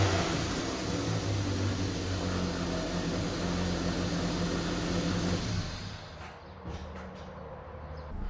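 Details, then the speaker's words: AWD Toyota Matrix after fitting a custom-built 2.5" exhaust without secondary cat and resonator: even, mellow low drone at idle, no rasp or leak puffing; pretty quiet, slightly louder than stock, normal exhaust note. "If you can hear, or should I say not hear, hopefully you can tell it's pretty quiet now. I have it running in the background, and the exhaust definitely works."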